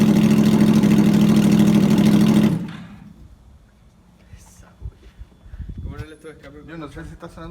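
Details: 2009 Yamaha R1 with loud Graves exhaust, first start after rebuild with new connecting rod bearings and sanded crank: loud even four-cylinder note, steady idle, clean revs; normal idle and revving.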